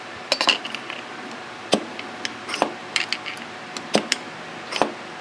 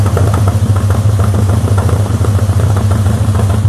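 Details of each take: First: SU carburettor on a restored car, piston drop check with damper oil fitted: sharp light metallic clunk each time the piston is lifted and released, falling freely with no sticking; needle not hanging up in the jet. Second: Classic car with SU carburettors at normal operating temperature idling, heard at the exhaust; low uneven note with irregular popping instead of smooth, before adjusting jets and tuning.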